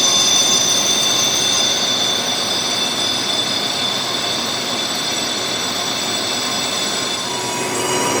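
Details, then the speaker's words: Lathe boring a thin-walled track adjuster cylinder with 10.5 inches of overhang, slowed RPM on a light finishing cut: high steady singing tones persist, leaving a garbage finish instead of the earlier mirror finish. Chatter. "Now I've had to slow it down. You hear it's still wanting to sing. This is a 10,000 step to cut. I'm getting a garbage finish."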